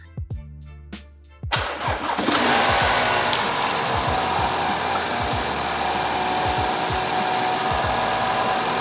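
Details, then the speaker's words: 2023 Audi A4 35 TFSI after engine swap, intake now sealed: cranks, catches, settles into idle with thin steady whistle; owner suspected boost leak or dump valve, whistle comes from airbox. "So yeah, I think it sounds great. Um there is a noise that's not not what I was expecting. Yeah, it it sounds to me like there's a boost leak or something, but um I'm really not sure or or it sounds it sounds like there's an induction kit or a dump valve or something on it"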